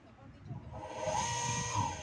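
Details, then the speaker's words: Water pump that would not start, recently rewound, now wired with run capacitor and tested in the other rotation direction: hums up to speed in about a second, steady even whine, no rubbing or buzzing; normal running. "está el otro giro y este ya lo pueden dejar con confianza trabajando no va a pasar absolutamente nada"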